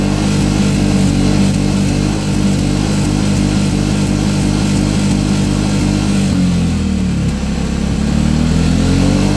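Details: Piaggio MP3 500 scooter that cuts out at 6000 rpm: lumpy, uneven idle that stumbles near the end. Owner suspected bad fuel, replaced the tankful, and is burning off what remains in the lines; cause not confirmed.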